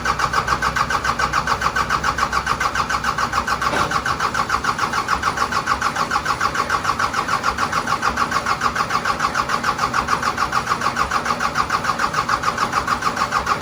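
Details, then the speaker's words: Cummins 4BT diesel in Power Wagon, first start since 2015, temporary battery, fuel and exhaust, no coolant: long steady strong cranking about 3.5 beats per second to build oil pressure; normal. "got a battery set up temporarily here so we'll fire it up crank it over see if it'll make oil pressure"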